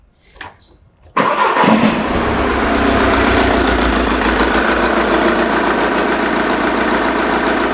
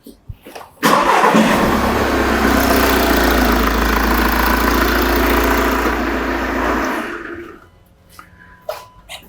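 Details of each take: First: Engine with the pressure transducer in the tailpipe for an exhaust pulsation test, number 4 injector deliberately disconnected: it starts and settles to a lumpy, uneven idle, clearly misfiring with one cylinder dead. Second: Diesel van engine, pressure transducer in the exhaust tailpipe for exhaust pulsation testing, cranks, catches quickly and settles into a steady, even idle before shutting off; normal start and idle with uniform pulsations.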